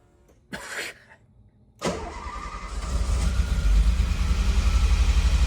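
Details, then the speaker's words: Renault Alpine GTA Turbo, mid-engine, abandoned for years in a storage locker, after hours of cranking with fuel pump audible and starting fluid added: short crank burst dies, second try catches into a steady, slightly rough idle with oil pressure; unplugged injector later found. "Man, it's getting better though. Oh, you know what? I don't like doing this, but I'm gonna put a little starting fluid in there."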